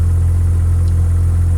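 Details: Mazda 13B rotary with Racing Beat intake and FiTech EFI in an 80-year-old Willys Jeep, O2 sensor unplugged, idle set around 1100 rpm; deep, steady low rumble with an even fast pulse, no misses or knocks, normal smooth idle.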